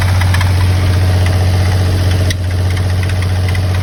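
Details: 1991 Mitsubishi 3000GT VR4 at idle after start-up: steady low hum with a faint, uneven tapping over it; abnormal noise, source unclear.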